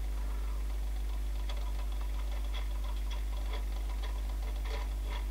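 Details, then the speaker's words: 1994 Panasonic RX-DT680 boombox CD player, seen before its service, slowly seeking a burnt CD: faint irregular ticking over a low mains hum as the laser hunts. The owner suspects it dislikes burnt discs and also struggles with dirty ones. "like that takes so long let's usually assign something's not too good in it maybe it doesn't like burnt CDs hmm very slow"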